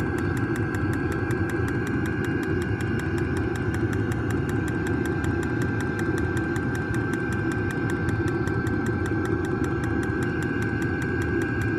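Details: New diesel heater just installed in a Jayco Freedom caravan, combustion normal after switch-on: steady low rumble with a fast, even fuel-pump tick throughout, heard outside as it pumps fuel.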